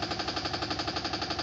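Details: Samsung washing machine during the spin cycle: rapid, even knocking of roughly ten hits a second with a hollow metallic clack while the drum vibrates and shakes hard. The cause is undetermined.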